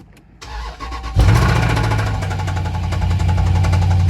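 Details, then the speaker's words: Car engine at idle with a deep, uneven, lumpy lope and faint ticking. The noise gets louder with revs, and the car is losing power. The owner assumes a worn camshaft. "so let me show y'all the noise that your car will make when your camshaft is worn out"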